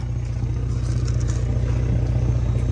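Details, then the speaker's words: Old Police Interceptor Taurus with 146,000 miles idling: loud, raspy, deep drone with an even low pulse. One of the mufflers is missing, possibly from an emergency fix. "for some no good reason the muffler is missing there's only one Muffler I wonder if they lost the muffler and then they just did an emergency fix"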